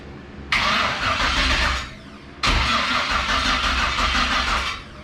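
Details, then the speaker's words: LS-swapped Fox-body: two cranking bursts of about 1.5 s each that never catch; crank no start because the fuel pump got no power from the PCM after wiring cuts, later fixed by wiring the pump straight. "so something I cut did not like so I just won't have him wired it straight that's just for the fuel pump now I can hear it kick on"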